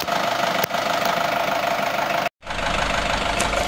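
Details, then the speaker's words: Nissan X-Trail T30 with white smoke when cold, after about 10 minutes warming at idle: rough, uneven crackling patter that disappears when throttle is raised; pinging at warm idle. "Nah ini teman-teman, setelah kita tadi biarkan 10 menit, itu langsung muncul suara seperti ini, kasar. Kalau kita gas, ini suaranya hilang."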